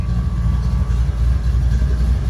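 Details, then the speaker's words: 1977 Mustang Cobra II V8 with Hooker headers and Ford Racing wires, bought as a "blown motor": a deep, even burble with no knocks or ticks; the idle is about perfect per the air-fuel gauge. "Has a little air fuel gauge over here. Idle's about perfect."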